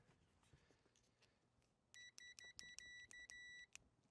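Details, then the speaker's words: Power Trac PT 1850 diesel articulating mower/tractor: the multimeter gives crisp, immediate continuity beeps on the 50 amp fuse, after its corrosion was filed off as was done on the 20 amp fuse. Both sides are good and the fuse is fine, though replacement is planned. "sure if you can hear that but the meter's taking it up really easy same thing check this 50 amp again good there we're good on both sides"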